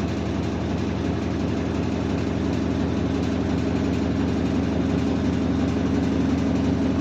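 A deep, steady drone holds at one even pitch throughout, heavy and loud like an idling bus engine. The cause isn't evident.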